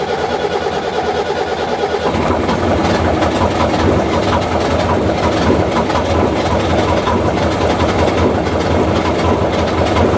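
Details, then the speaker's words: Four-injector diesel just after bleeding air from fuel lines and injectors: thumps along unevenly with a stumbling beat; residual air in fuel, expected to run rough 30-40 seconds then clear up. "it may not be smooth right off the bat but because it still has to go through Cycles to get all of the yeah and so it'll it'll run rough for you know 30 seconds 40 seconds and you'll hear it start clearing up"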